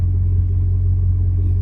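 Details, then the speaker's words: £260 Audi A8 V8 idling: a deep, even, smooth burble with no knocks or ticks, a healthy idle. "listen to that engine. >> I know. It's just burbling sweetly, isn't it? >> Yeah. >> Smooth as anything."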